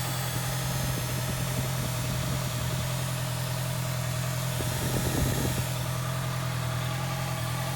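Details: 2018 Honda CB650F, under two months owned, after a ride on a hot day: fast uneven tapping about three a second over steady idle from the radiator cooling fan, possibly blades clipping something lodged behind the radiator; not confirmed.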